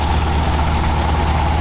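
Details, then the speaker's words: Toyota 4Runner 22RE at a steady high idle held well above normal, no hunting; air leaks around the edges of a worn throttle blade smaller than the throttle body bore, confirmed when blocking the linkage side dropped the idle. "this tells me that the edges of the throttle blade are leaking and that the throttle blade itself is smaller than the bore of the throttle body"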